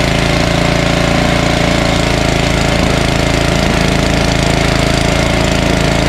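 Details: Ariens ST1128 snowblower, 11HP Tecumseh Snow King engine, after carburetor cleaning fixed surging, run for a while until warm: steady, even single-cylinder chatter with no hunting or surging; runs smooth.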